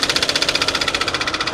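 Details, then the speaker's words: Car at a salvage auction: fast, even knocking about thirteen times a second over a rough idle, with smoke and heavy blow-by from the engine; significant internal damage, no exhaust smoke, and the engine needs replacing. "oh look at all that smoke oh my goodness wow so we got a lot of blow by in here too oh my goodness wow yeah we got a lot of blow by we got some some pretty significant engine"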